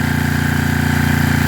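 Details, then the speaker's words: Coleman Powermate 6250 generator after refitting proper bolts: fired on second pull; steady, even single-cylinder thrum at constant speed with no knocks or misses, running smoothly. "yeah second pool they fired right up y'all can see I got it running right now definitely better with them Bolts versus that"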